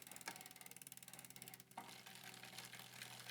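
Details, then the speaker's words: Bicycle front derailleur after backing off the limit adjustment to cure slight chain rub: quick even freewheel ticking then smooth pedalling, no scraping from the cage; no rub. "So now we have no rubbing, and we're gonna test it."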